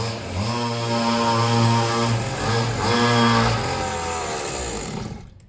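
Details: Serviced pit bike / mini moto two-stroke while its idle is set; loud raspy revving then settling toward a steady idle, crisp even firing; slightly smoky, owner plans an inline fuel cut-off; normal idle.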